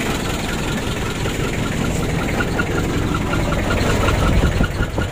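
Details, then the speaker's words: Hot, shaking Mitsubishi L300 diesel revved hard, sounding rough with rapid puffing over the roar; heavy crankcase blow-by, with compression leaking into the radiator as air bubbles. Checked before deciding on an engine teardown; the vehicle was used by many drivers. "untuk ngobasnya sudah lumayan banyak ini ya"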